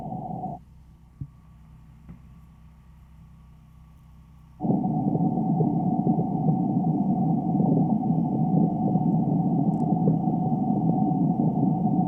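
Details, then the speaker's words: Pressurized water service line leak in front yard, ground mic listening where tracer gas reads 0.1–0.15%, reflecting about 3/4 gallon per minute loss: steady rushing hiss. "So the next step is to listen in this area and see if you can hear that bubbling, spitting, sputtering sound."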